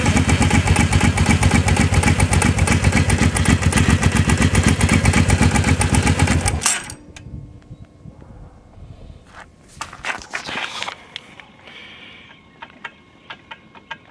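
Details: Motorcycle engine running with a steady, fairly even beat, then shut off; clunking noise hard to pick out, cause unclear.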